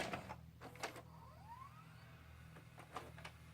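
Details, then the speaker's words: Hitachi UX625 VCR with its "movie pass" fault: quiet transport clicks, then a soft rising whir as the reels spin up. The deck drops into rewind by itself and ignores stop/play. Cleaning the rotary encoder switch didn't help; cause unknown. "all wants to do is rewind every once in a while you get lucky you put the tape in and it just stopped and now it's rewinding and I'm not even touching it"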